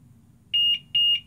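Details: GTX 760 graphics card connected to a PC power supply and switched on: two sharp high-pitched beeps about half a second apart over a quiet hum as the supply's protection trips, likely from a short on the card.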